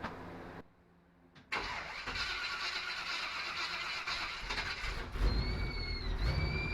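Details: 1955 Willys wagon with a temporary Holley carburetor fitted: engine catches and settles into a rough idle, then a thin steady high whistle rides over it. Engine whine; an air leak around the carburetor is suspected. It runs better with the Holley.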